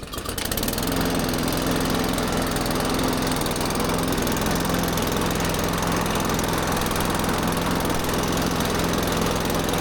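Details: Benchmark mower after a no-start repair (skunky fuel left in the undrained carburetor): engine catches and settles into a loud, rough, uneven chug at steady speed; sounds bad but is normal for these mowers.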